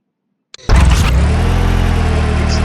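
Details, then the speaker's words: Car that had a cylinder 1 misfire with P0201 injector circuit code; after replacing the high-resistance cylinder 1 injector, the engine catches after a short crank and idles smoothly and evenly, running correctly. "So I replaced it and the engine now runs correctly."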